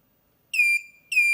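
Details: DatouBoss 1500W 24V inverter converted to lithium, cutoff being lowered from 20 V to 18 V, supply lowered below 20 V: two sharp high-pitched beeps half a second apart, low-battery warning while still running.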